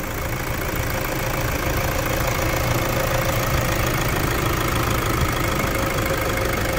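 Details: Toyota Hilux diesel after Brembo brake install, after 159 km test drive, revved briefly: steady even diesel clatter, no knocks or rattles rising above it; engine healthy.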